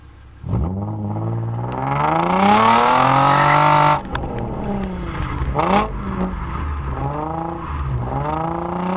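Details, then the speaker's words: Nissan 350Z VQ35DE V6 with DIY cat-delete exhaust, GoPro recording: loud raspy note pulls up through the revs with a smooth rising drone, lifts off and builds again; clean, healthy. "we have got a few GoPro clips for you on what the vehicle sounds like now I love it it's amazing enjoy"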